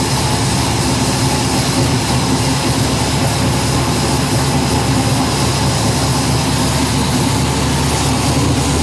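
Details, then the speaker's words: Arce Engines Lucas Oil Modified race car engine with newly installed FIRA FAST EFI fuel injection, primed and started after sitting a few days: loud, steady roar with even pulse, no misses or knocks. Normal running. "once we've primed the engine what that does is that allows this switch to uh to operate the fuel pump so we're going to go ahead and turn it on and fire it up for a minute here we go"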